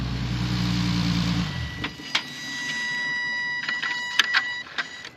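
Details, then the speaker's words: Infiniti G37/Nissan 370Z after throttle body cleaning, engine warmed to at least 149°F coolant then shut off: soft clicks and brief electric whirs for several seconds as the throttle bodies perform their normal closed-position relearn. "I don't know if you heard that, but that was the sound of the throttle bodies relearning what to do with that."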